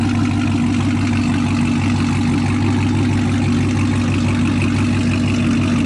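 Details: Chevrolet Camaro ZL1 after a damaged spark plug was replaced: deep, even V8 burble with steady beats and no skips or stumbles, now running normal again. Normal idle.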